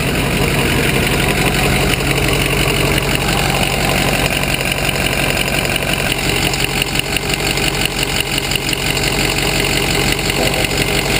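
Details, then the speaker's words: Ford Super Duty idling, heard through a vacuum hose run along the exhaust: airy rush sharpening into a loud hiss at the leak between the right-hand inlet pipe and Y-pipe; smaller manifold leaks also present. "Okay, if you notice that air noise change, that was the vacuum hose picking up the exhaust leak."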